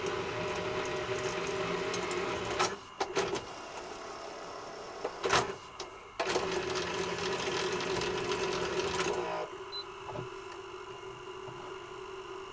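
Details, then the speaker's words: Sanyo Betacord VTC-1000 Betamax deck on play after fast forward and rewind worked: faint whirring with uneven motor hum, pauses and clicks as it stalls; tape transport struggling and playing really slowly. "You see something's trying to come through. It's playing really slowly."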